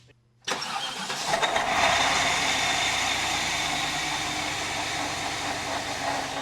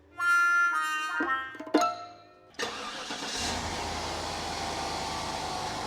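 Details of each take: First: Cheap used car at start-up: the engine cranks and catches, then a high, steady squeal sits over the idle, from a slipping serpentine belt. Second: $800 car after switching from a 90in to a 74in belt that bypasses the AC compressor: the engine catches and settles into a smooth, even run with no belt squeal or chirp; normal running.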